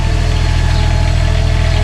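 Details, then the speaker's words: Onboard generator on a new RV, mounted over the rear bedroom: steady, even low drone with a constant throb, no knocks, misses or surging, not horribly loud; running normally. "generator isn't horribly loud,"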